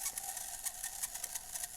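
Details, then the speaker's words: Tyco Mantua steam locomotive unrun for 50 years, with oxidized contacts: once powered directly it runs with a faint, rapid dry ticking and buzzing, about eight clicks a second; the mechanism is not yet lubricated. "and uh well it's running so that's a good start we're gonna stop it there though because uh you can hear some kind of funny noises none of this is really lubricated at this point"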